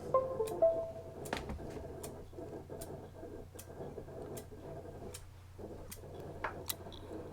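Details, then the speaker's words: 500 GB Western Digital hard disk on a SATA-to-USB connector to a laptop: dry, repetitive ticking about twice a second in a quiet room, never settling into a spin; judged a faulty disk, not worth attempting recovery. "can you hear that so that is a faulty disk so we're not even going to bother to attempt to do anything with that"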